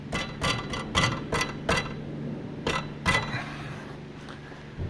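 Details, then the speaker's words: 2012 Toyota Prado 150, 252,000 km: irregular bright metallic clanks over small bumps from a loose part near the fuel tank and transfer case underneath, cause unknown. "вот она гремит на кочках не знаю с чем связана Откуда она разболталась как-то так"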